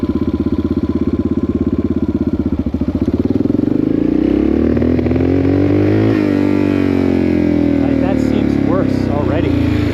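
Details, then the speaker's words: 1984 Yamaha XT600 single on a desert wide-open-throttle run after swapping wrong-sized jets for correct standard jets, pilot screw at one and a half turns: thumping note climbs smoothly through the revs without bogging; pulls cleanly, only tiny break-up, healthy acceleration. "Actually, that seems better. Honestly, that seemed way better."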